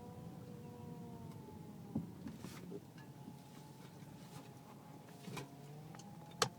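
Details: Car whining when turning left or right below 10 mph, quieter at speed; power steering fluid full, no leaks or foam, belt normal; squeaks from rear-seat tires rubbing leather: thin steady whine shifting with steering, light knocks; pump or rack suspected.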